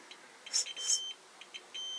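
Short high beeps, steady when the probe seats firmly and choppy while contact catches: continuity present, this filament is intact.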